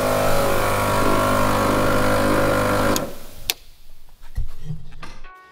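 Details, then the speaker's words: Land Cruiser ARB rear air locker with internal leak from a damaged copper pipe: compressor drones at full tank pressure, cuts out, then hiss as air escapes the diff breather and the compressor kicks back in. "that noise you can hear is all the air coming out of the breather and then the compressor kicks back in"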